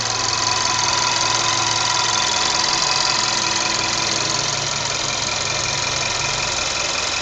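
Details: VW Polo 6R with the 1.2 TSI 105 hp engine at idle: bright, even ticking about three per second over a smooth hum. Engine ticking noise, cause unknown.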